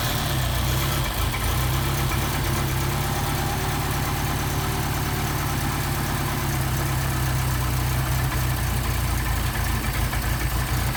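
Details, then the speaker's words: Mercedes 190SL Solex carburettors on a test engine, cold on choke and not yet adjusted, idle mixture screw backed out half a turn: a steady, even, low-pitched idle with no misses or stumbling; running smoothly before warm-up and synchronising. "now you can't really adjust these things until they get warmed up but considering Haven done any adjustments to them at all that's pretty darn impressive"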